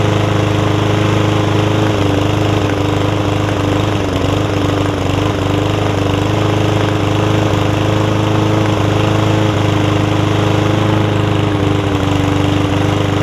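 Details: Yard Man front-wheel-drive self-propelled push mower with Powermore engine, long-sat, carb cleaned except the top jet, fresh gas, oil full but dark: steady single-cylinder run at even speed with slight waver, no knocks or misses; running normally.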